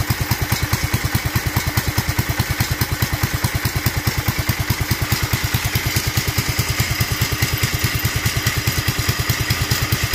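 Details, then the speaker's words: Duromax 18 hp engine after turning idle screw clockwise, choke open: slow, heavy single-cylinder thump, lumbering and barely holding on; idle still too low and unstable. "Well, we were closer. Let's try for that 1,000 mark and see if it'll stay on it. Nope."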